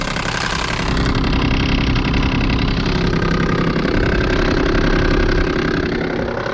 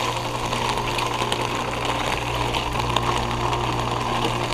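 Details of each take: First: 2022 Ruud Achiever heat pump outdoor unit, frozen over and running in heat mode on a snowy day with barely any airflow, before it kicks into defrost: steady compressor hum with a muffled, labored fan drone and little air rush; unit iced over. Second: Heat pump outdoor unit on a very cold day with ice on the fan blades, going into defrost and melting the ice with steam: steady low hum with a gushing, hissing rush of refrigerant over it; normal defrost cycle.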